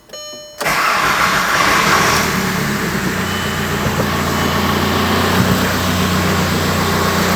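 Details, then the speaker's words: VW MK4 TDI PD BEW diesel before camshaft and timing belt replacement, heard at initial startup from the top of the engine: starter catches, then a lumpy, uneven idle with an irregular beat; rough running, cause not confirmed. "you can hear how rough it is on initial startup coming from up here"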